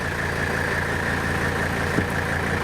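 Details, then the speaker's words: 1984 Mercedes 300D, 3.0-litre turbocharged five-cylinder diesel, heard from outside (quiet inside): steady, even diesel clatter at idle with a smooth low rumble, no misses or knocks; healthy normal idle. "so on your outside of the car you can hear the diesel engine which is to me a beautiful sound but inside it's very quiet"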